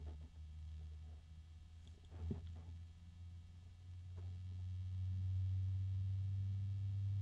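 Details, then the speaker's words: Azza CUBE 360 (LCAZ-360P-CUBE) ARGB AIO radiator fan: a low steady hum with a drone that swells and fades every few seconds, a harmonic resonance; not loud overall, likely unnoticeable inside a case. "I thought I heard a harmonic resonance. Yeah, I think that's one. There's another one."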